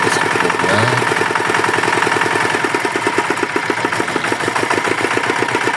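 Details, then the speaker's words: Yanmar DX tractor fitted with a Chinese single-cylinder diesel that seized from insufficient oil, after repair and oil refill: steady, even idle thump with no knock or rattle; engine now runs normally. "Oke mesin sudah hidup normal"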